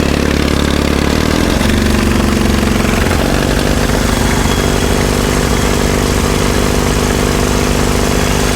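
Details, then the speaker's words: 1951 Caterpillar D2 diesel (serial 5U7968), first start: catches then settles into a steady, even idle with no misses, knocks or smoke; oil pressure up, fuel pressure low, transfer pump check suspected. Normal idle. "Listen to that. That sounds pretty good. No smoke."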